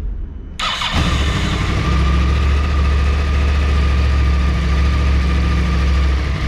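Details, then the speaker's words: Yamaha R1 after refit with new generic K&N filter, starting: starter whir, catches and settles to a steady even idle with none of the earlier rattle; normal start and idle. "será que vai fazer aquele ruído aquela barulheira tem sozinho novo né é é legal e fogo"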